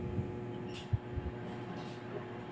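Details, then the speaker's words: Panasonic automatic washing machine motor hums steadily but won't spin in spin mode, belt at rear not moving or slipping; works in wash; suspected failed start capacitor being checked. "kasi tulad niyan nilagay natin siya sa spin umuugong lang talaga an walang movement dito sa belt sa likuran Wala hindi man lang hindi na nadudulas talagang Ugong lang"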